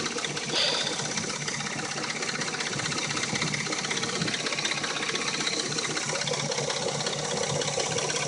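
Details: Dodge Intrepid at warm idle: loose, uneven metallic rattle with occasional knock, quiet like new when cold; owner suspects the timing chain.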